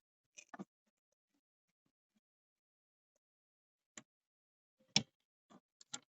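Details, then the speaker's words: 2005 Opel Vectra C, behind dash under passenger airbag: faint dry clicks in bursts of two or three, seconds apart, repeating constantly; recirculation flap actuator clicking, suspected stripped gear. "Evet şu an tık tık yaptı Umarım sessize gelmiştir sürekli tık tık tık tık yapıp duruyor"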